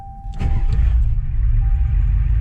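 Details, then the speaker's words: Clapped-out IDI diesel truck: after waiting for glow plugs to cycle, engine catches quickly after a short crank and settles into a steady low rumbling idle; starts easily, healthy start. "And guys, it starts so easily for an IDI. I'm pretty impressed. Wait for the glow plugs to quit cycling."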